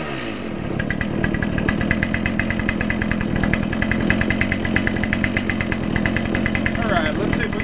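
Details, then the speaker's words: Brand-new Dolmar PS-7910 chainsaw with 28" Sugihara bar and LGX full chain, second start, still at factory settings, slightly warm: screams at high speed with a lumpy, burbling, uneven edge; owner suspects it's running a bit rich, possibly hitting the limiter, to check with a tach. "okay sounds like it might be a little bit Rich we're going to need to get a tack on it"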